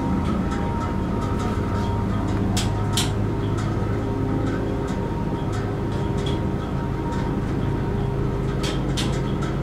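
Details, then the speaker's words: Dover Impulse hydraulic elevator pump motor installed in 1986, heard during upward trip: loud, steady low drone with even hum and a few light ticks; running smoothly under load. "i love that motor installed in 1986"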